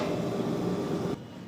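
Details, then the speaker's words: 1-ton non-inverter split AC outdoor unit after replacing the failed compressor capacitor: steady even compressor hum with low drone, no clicks or rattles; compressor now running normally and cooling properly, previously it did not run. "Compressor আওয়াজও শুনতে পাচ্ছেন। Compressor আওয়াজ হচ্ছে। আগে যেটা হচ্ছিল না।"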